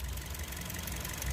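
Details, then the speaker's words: Toyota Vios 2nd gen misfiring with strong vibration: lumpy idle with uneven low thumps and skipping beat; number-four ignition coil gives no spark while 1–3 are fine, to be confirmed by swapping coils 3 and 4. "ngayon itong number four baka mamaya ay ang sira diyan Yung kanyang ah electrical circuit"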